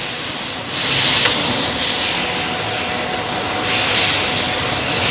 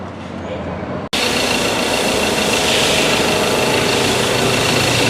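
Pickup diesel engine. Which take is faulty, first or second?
second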